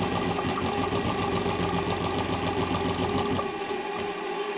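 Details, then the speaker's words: Very old JMC 5 cc live-steam engine with flat slide valves and Stephenson link gear, tested after adjustments at about 3 bar, reversed and accelerated so it restarts under its own power. Rapid, light, fairly even chuffing at about four beats a second with no clanks or hesitation. "J'accélère, touche à rien. Il va redémarrer grâce à la puissance."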